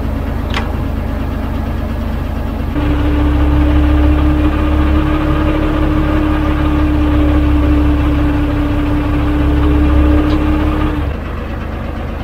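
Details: 12-ton diesel grader after a new drive chain and an oil and filter change; the chain is unfilled, with oil poured over it. Even idle, then a steady hum joins for several seconds as the drive turns, with no clunks or binding. The chain runs freely.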